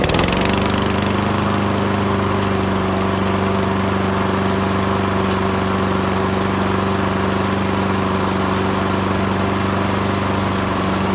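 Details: Subaru EA175V 21-inch self-propelled push mower, after carburetor issues, running on the bench on fresh fuel with a new filter, before its oil change: catches instantly and holds a smooth, even, steady drone with no misses, knocks or hunting; running healthy.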